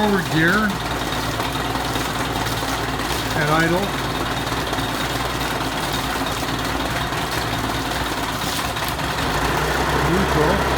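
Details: 1986 Mercury 35 hp two-stroke outboard after carburetor fine adjustment and a raised idle, idling: steady, even putter with some outdoor noise; smooth, normal idle.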